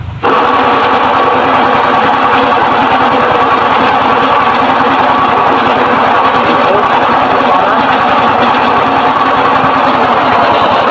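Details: Suzuki Shogun motorcycle engine running: a harsh, gritty mechanical rattle that gets rougher with throttle, traced to the inside of the engine, from a worn crankshaft bearing.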